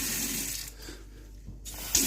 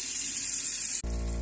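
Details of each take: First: Kitchen mixer tap after replacing humming Iddis cartridge valve (kran-buksa), cold water running: smooth even hiss, no humming or whistling; hot also quiet. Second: Kitchen mixer tap (Iddis) humming: running water hiss gives way to a loud steady low drone, most likely a faulty cartridge (kran-buksa), replaced as the fix.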